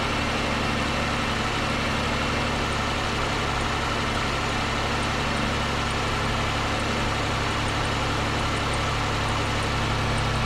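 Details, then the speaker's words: 2005 Pontiac Grand Prix, GM 3800 Series III V6, idling after lower intake manifold gasket replacement: a faint, quick high chirp over the engine hum from the alternator pulley; lubricant made it go away, so the pulley probably needs replacing. "so that chirp that you can hear is coming from the alternator pulley i sprayed a little bit of lubricant on there and then always went away so i probably need to get in there and replace that pulley"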